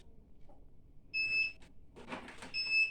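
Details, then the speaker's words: DVR sounding a continuous annoying alarm, shrill high beeps about every 1.4 seconds, with cameras dropping signal; cable and network link changes didn't help, and the cause is a weak power supply. "سامعين السفاره سفاره مستمره مزعجه على طول ما بطلتش خالص"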